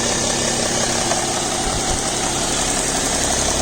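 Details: BMW E60 525d diesel with fresh 5W30 oil has a light, fairly irregular tick, around three clicks a second, over the idle clatter after a cold start. The click disappears once the engine reaches about 80°C. Cause unknown.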